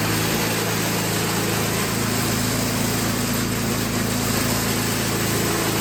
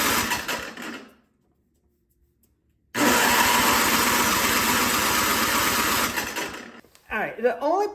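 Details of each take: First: Toro 521 snowblower after the carburetor was dialed in (it still drips some gas); the small single-cylinder engine holds a steady, even buzz with no hunting or misses; normal running. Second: Toro 521 snowblower with a reassembled carburetor, started at full throttle, fires briefly on starting fluid then dies; the main jet adjustment is suspected to be screwed in too far, starving it of fuel.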